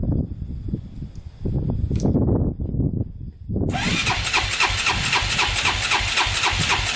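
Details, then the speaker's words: 2001 Honda 400EX, first start after a new stator and rewiring: single thumps fast and even, never dropping to a proper idle, throttle hanging open, otherwise sounds good; high idle, throttle stuck open. "so well definitely runs um idle was stuck on a little high there but other than that sounded pretty good throttle even worked"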